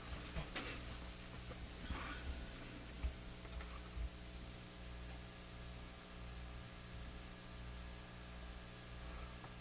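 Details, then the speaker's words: Japanese Zephyr Model 1 radio after re-soldering an accidentally cut wire: faint steady low hum with light hiss, much less hum than before but still present. "It's much less hump."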